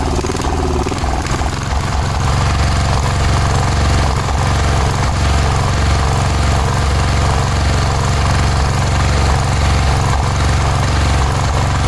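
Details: Cub Cadet 1106 riding lawn tractor (1987; listed as 1986), sat over 4 years, bottom carburetor adjustment screw ineffective: single-cylinder engine chugging unevenly at fast idle, stumbling and surging. Rough running; owner suspects old fuel pulled through fuel line.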